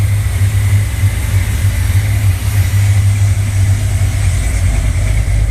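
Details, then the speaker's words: 1968 Corvette 383 V8 on default program set for sea level, with crossover, after start on older battery: deep lumpy but even clean idle, cam still fairly lopey; healthy, needs dyno tune for altitude. "With the crossover, it's evened out the exhaust. It's not lopey like it was with the natural carburation, but you can still hear the cam. Still fairly lopey."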